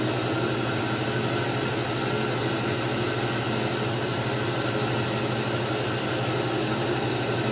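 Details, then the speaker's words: 1991 Dirt Devil Deluxe upright vacuum, model 7200, 7 amp: steady even high whir over a constant hum with no rattles or surging; healthy motor, quieter than later 12 amp Dirt Devils. "Not too bad, and really not too bad for a Dirt Devil. They got a lot louder after this, so this early 7 amp model is much quieter than the 12 amp models they were selling later on, or the early bagless Dirt Devils and the later bagged ones."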